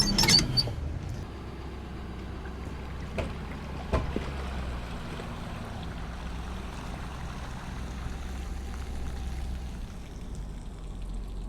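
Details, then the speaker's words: Wellcraft Sportsman 180 boat with Mercury 150, bilge already holding water of unknown source: steady low motor hum under splashing, gurgling discharge; bilge pump running normally. "Bilge pump works. That's good. It's kind of weird that it already has water in it, though."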